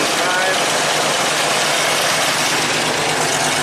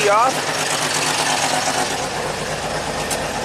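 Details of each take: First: 1985 Jeep CJ-7 Renegade with Holley Sniper EFI, after a diode was fitted: smooth, even idle that dies cleanly about five seconds in with no run-on. Now shuts off normally. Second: 1985 Jeep CJ-7 Renegade with Holley Sniper EFI: after a brief dip the idle continues steadily with the key off; alternator current back-feeding the ignition causes the run-on.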